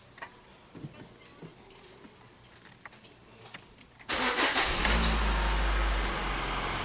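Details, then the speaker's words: 2011 Citroën C4 1.6 16V hatch, 68,000 km, before repair: quiet clicks, then the engine catches and settles into a rough idle with a low rumble; noisy clutch and pedal judder, diagnosed as needing a clutch kit. "está fazendo barulho na embreagem trepidando você bota o pé no pedal da embreagem ele fica tremendo barulho muito estranho"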